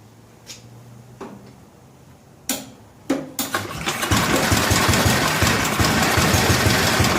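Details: 1964 Cushman Scotsman golf cart single-cylinder, governor disconnected: clicks and cranking, then catches and runs fast with busy slightly uneven clatter while carburetor adjustment screws are set.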